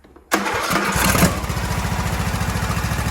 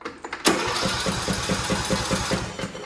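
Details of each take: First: Craftsman T1700 lawn tractor, single-cylinder Briggs & Stratton engine, cranked on choke with the air filter off: short crank, then it catches and settles into a steady, even idle with no stalling or misfire. Normal start and idle. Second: Craftsman T1700 tractor (MTD), Briggs & Stratton engine, fuel confirmed at carburetor, tried choke then fast: steady starter cranking about five compressions a second with no firing; cranks but won't start, failed fuel shutoff solenoid.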